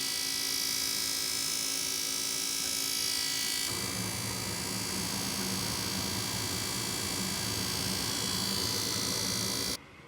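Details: Goodman furnace model GMS80804BNBD running with a loud, steady rushing hiss over a low hum, noisy draft inducer fan suspected, fixed by replacing the draft inducer fan.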